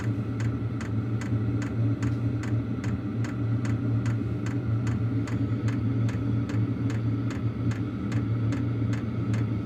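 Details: Wippro 8 kW diesel heater in a shop bus, raised to level 3 of 10: crisp fuel pump ticks about two per second over a steady low combustion roar; running normally, giving good heat.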